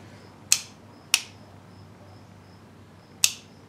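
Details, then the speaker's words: Kawasaki Ninja 500 engine in a go-kart build, ignition on and about 10 volts measured: three sharp, crisp clicks as the button is pressed show the starter relay pulling in normally, ready to drive the starter motor. "start what about 10 volts across that but you can clearly hear that starter relay clicking so that's good that means we now have the ability to drive the starter motor"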